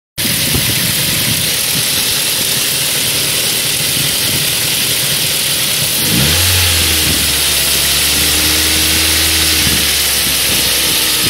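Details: Ford 1.8 Duratec petrol engine: light metallic rattle over idle, busier as revs climb, with occasional pops; owner suspects rattly intake manifold flaps, popping cause unknown.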